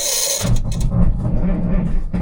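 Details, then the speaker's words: 1978 Kenworth K100 cabover diesel truck, sat for many years, first start: cold engine catches after cranking and idles lumpy and uneven, little smoky, not firing on all six cylinders; 60 PSI oil pressure. "Ah, just idling right off the bat. Little smoky. Not hitting all six."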